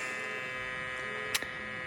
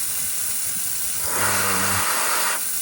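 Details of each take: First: FogBuster-style fogless coolant mister on a Tormach CNC mill, air solenoid switched on with the manual coolant button: a steady, loud, high-pitched electrical buzz with one sharp click. The solenoid is humming because it is wired incorrectly. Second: SST Lube Cube fogless coolant mister on a Tormach CNC mill, run at about 10 PSI air with a tiny bit of water: steady airy hiss with a brief low hum midway. It sprays evenly with no sputter or pulsing; normal.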